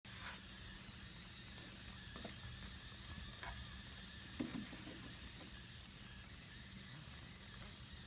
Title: exhaust leak